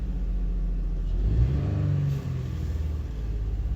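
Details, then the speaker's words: 2005 Honda Odyssey with multiple codes (EGR, variable cylinder management stuck on, evap, misfires); deep rumble climbs lazily on a blip and sags back without snap. Owner links it to VCM sticking on, cause unconfirmed: sluggish revving. "rpm went up no response I've got no throttle response very slow"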